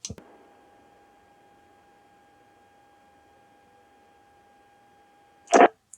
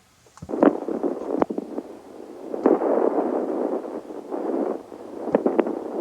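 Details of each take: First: Radio Shack HTX-202 2-meter handheld on low power, audio taken directly off a receiving radio after repair for noisy transmit: steady clean tone over a dead-quiet background, no hiss or buzz, only key-up and release clicks. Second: Old Radio Shack HTX-202 2-meter handheld transmitting, monitored on a second receiver: intermittent crackle, pops and hissy bursts, worse on high power, rare on low power; owner suspects dirty grounds.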